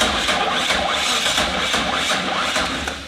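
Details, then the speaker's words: RB20-swapped AU Falcon drift car on first start: starter churns at an even few beats a second with rough, mistimed puffs, sounding like it runs backwards; ignition timing set 180 degrees out. "boom what is it sounds like it's going backwards it actually does"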